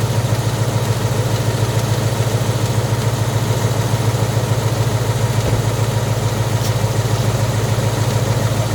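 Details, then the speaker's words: 2018 Mustang at idle, no exhaust fitted, phone on a tire tread, AC then switched on; light regular high-pitched tick about 3.5 per second over a smooth deep idle; owner suspects rod knock, unconfirmed. "on these cars it's a little tiny slap like a high-pitched tick"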